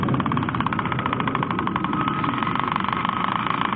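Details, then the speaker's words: Fast, even clattering rattle over steady motor running, not changing with speed; broken gear suspected, possibly motor pinion or motor shifted; not confirmed. "on entend bien le bruit du pignon pété lequel c'est c'est le pignon moteur qui a bougé moteur en luiême bougé ça peut ai c'est carrément un pignon"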